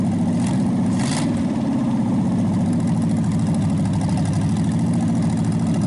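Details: Packard 374 cu in V8 warming up on repeated restarts to burn off oil after carburetor cleaning: even low idle rumble, no misses or knocks, no skipping, nearly quit smoking; owner thinks it's a good engine. Normal idle.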